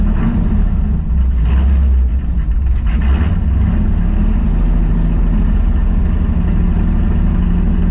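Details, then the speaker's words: 1973 AMC Javelin AMX V8, carburetor and timing not yet dialed in, driving around the neighborhood: brief stumble (bog) when the throttle is stabbed before it clears; primaries running lean, re-jetting planned. "you can hear a little bit of a fog when I stab the throttle it's still running a little lean on the primaries too so I'm probably gonna re-jet it"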